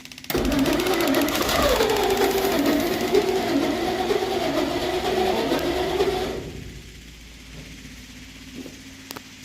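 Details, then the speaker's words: 1963 Studebaker Champ pickup, points filed, electric fuel pump, tank likely empty; engine runs about six seconds with wavering, sagging speed, then dies. Fuel starvation stall, electric pump suspected not pumping. "Just burn away. Oh, and it ran out of gas. I don't think your clicky clack's pumping over there."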